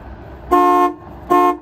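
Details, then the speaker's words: 1967 Lincoln horns after repair, tested with horn button after wiring and shield refitted: two clean blasts, full steady chord without rasp, warble or dropout; normal horn working. "okay that's acceptable horns are finished"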